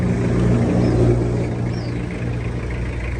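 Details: Toyota Hiace van, 2.5 L diesel: smooth, steady low rumble at idle with no knocks, misses or surging; the engine sounds healthy.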